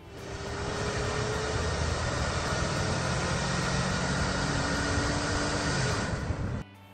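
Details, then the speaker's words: New Holland tractor diesel, recorded by the owner: a heavy roar with a thin, steady whistle over it that is clearest under acceleration; it is a worn turbocharger, and the engine must be stopped to avoid serious damage. "you're right to me this is the noise made by a worn out turbocharger you can hear it clearly when you accelerate"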